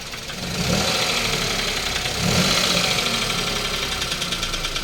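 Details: Toyota Wigo 1.0 three-cylinder after driving through heavy rain and flood; quick uneven metallic knocking nearly four per second over the idle, very loud; diagnosed as a bent connecting rod, engine to be opened.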